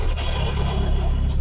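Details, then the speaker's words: LADA 2114 after about 1000 km of a 2000 km trip, gearbox failed: rough, low grinding rumble at idle with clutch out, quietens when clutch pressed; gears hard to engage, first won't engage; gearbox falling apart, owner suspected release bearing/clutch. "вот такие вот звуки пацаны она издаёт всё это там просто [ __ ] что-то жёстко развалилось"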